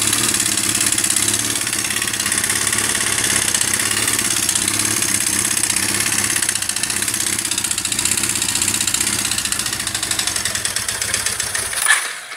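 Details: Honda CBR 450 SR, owner first suspected valve adjustment or a broken valve: busy, hissy idle with rough clattering rattle and no clean rhythm; teardown found the piston had melted.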